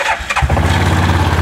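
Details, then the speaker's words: HiSun-built Cub Cadet Challenger 500 UTV with recently replaced wet clutch: quick crank, fires at once and settles into a steady, even idle, sounds good, but won't move in gear; one-way bearing or CVT clutches suspected. "all right so got our fire right up you can hear it sounds pretty good there's low there's High"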